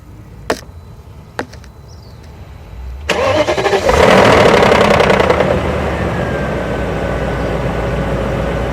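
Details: 2001 BMW 740iL cold start: harsh, clattery engine rattle for a couple of seconds, then settles into a high idle.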